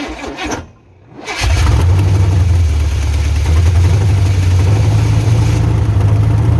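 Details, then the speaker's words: 1986 Silverado C10 with a carbureted Vortec 350 swap, first fire-up with timing fully advanced: catches after a short crank and settles into a deep, loud lope with no knocking. Engine runs, nothing wrong in the motor. "Well, she runs. I mean, I don't hear no knocking or nothing, so it ain't nothing in the motor."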